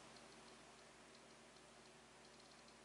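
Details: APC Back-UPS 700 that will not charge its battery, plugged into the mains: faint, uneven relay ticking, about three clicks a second.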